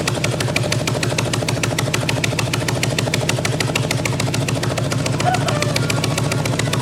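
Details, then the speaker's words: 1997 Harley-Davidson Evo Big Twin Road King, engine won't idle properly: runs rough and loud with fast, raspy puffing pulses; rear cylinder head exhaust flange has no nut and the exhaust gasket is completely blown out, likely also sucking air. "there's no nut on that rear cylinder head exhaust flange, and so that exhaust gasket is completely blown out. So that's probably not helping the situation here too. It sounds terrible."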